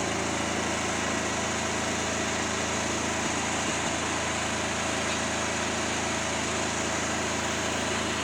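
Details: Fairly new lawnmower run with the mower deck off after checks: steady speed, stumbling briefly a couple of times mid-run; intermittent misfire, better than yesterday, choke clears it, owner suspects a fuel problem.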